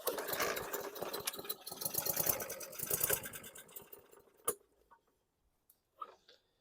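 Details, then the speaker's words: Murray push mower small engine: uneven sputtering pulls for a few seconds that fade and stop; wants to start but dies out, quick carb clean planned. "Okay, you heard that thing want to start but petered out, so this is going to be my first victim, I think."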